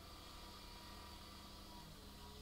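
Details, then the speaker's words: Nespresso Aeroccino milk frother after repair of its blown heating element (older version without a thermal fuse), running with milk: a steady faint whirr with a soft, even hiss; it is heating and frothing normally. "Steaming nicely. Job done. Frothed hot milk."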